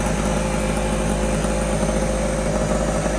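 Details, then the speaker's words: Medusa Compact 950 two-stroke generator, cold start after new fuel tap fitted, choke on: crisp, even buzz at steady speed, no misses or surging; runs cleanly. "Oh, look at that. Lovely little sounding two-stroke there."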